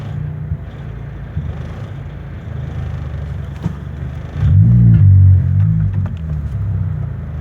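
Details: Toyota Corolla engine at idle: uneven low rumble with an irregular stumble two to three times a second, swelling briefly on a throttle blip: engine misfire.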